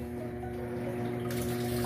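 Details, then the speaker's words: Electrolux 8.0 kg washer after overflowing-water fault fixed, set to medium level; steady low hum under constant rush of water into the tub, filling normally until agitator restarts at the set height. "A máquina ficou muito boa, quando chegar na altura certa ali, vocês vão ver que ela vai armar e vai automaticamente vai reiniciar ali, né?"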